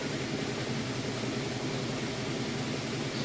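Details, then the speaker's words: Crosley washer on spin cycle at full speed with a heavy load of jeans and towels: steady, even drum whoosh with no knocking, thumping or shaking from imbalance; washer working normally. "Okay, and we are on the spin cycle. It's getting up to full speed. It's a pretty heavy load. Sounds good. It's working great."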